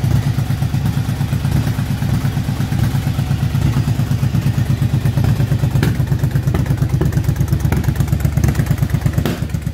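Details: 2007 Yamaha V-Star 1100 after a carb rebuild to cure backfiring from flooding carbs and fouled plugs, plus an oil and filter change: loping V-twin idle at about three even thumps a second, no pops or backfires, healthy.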